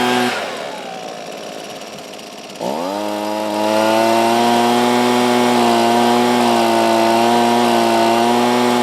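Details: Husqvarna 125B two-stroke blower after a used replacement ignition coil fixed its no-spark no-start: brief crank, then a steady, even high-pitched drone holding speed cleanly. The carburetor may need slight fine-tuning. Normal running.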